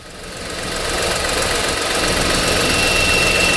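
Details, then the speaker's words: 2003 VW Polo 9N (AZQ engine), AC on: small AC condenser/radiator fan, previously not spinning, whirring rumble building then rapid rhythmic flutter, noise not there before; fan works but faulty, owner suspects brushes/contacts. "Yeah, that noise. It's working, but the fan has a problem."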